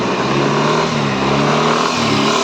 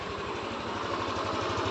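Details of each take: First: Yamaha NMAX V3 155 at about 9,500 km, after repairing an error 12 burnt wire that stopped it starting: when free-revved with traction control on, revs climb then repeatedly dip and catch as the engine is cut. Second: Yamaha NMAX 155 V3, about 9,500 km, after repairing a burnt wiring fault that left it not starting: even, quick thumping around twelve beats a second, no misses or knocks, no check-engine light; healthy idle.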